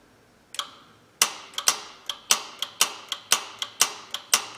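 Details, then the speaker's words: Honda 3.0/3.5 V6 with P0401 code, relatively new EGR valve driven by power probe, engine off: sharp paired clicks about twice a second as the valve snaps open and shut; EGR valve operating normally. "it sounds like it's opening and closing just fine. We can hear it snapping."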